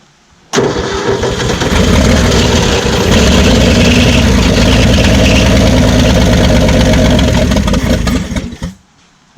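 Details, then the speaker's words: 1967 Ford F100, parked 40 years, carburetor primed with temporary zip-tied fuel pump, first start: fast loud clatter over idle that later quieted; owner suspects dry start before oil pressure or flywheel, not internal. "oh that sounds terrible whatever that is there might be a reason he was going to pull the motor so i'm about to send a rod through the side of it"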